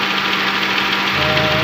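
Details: 2007 Honda Accord K24 petrol engine idling with a steady hum and a hard, busy knocking mixed into the running noise.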